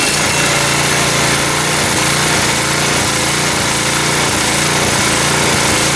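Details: Neglected snowblower, small single-cylinder engine of about five to five-and-a-half horsepower, run after filling the oil: steady, even drone with no misses or knocks at constant speed; engine runs healthy.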